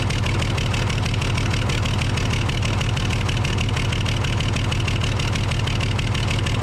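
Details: Case loader with a 12-valve 5.9L Cummins diesel at steady idle, a rhythmic knock about three times a second with an uneven edge. Misfire from a bad injector, causing loss of power and overheating.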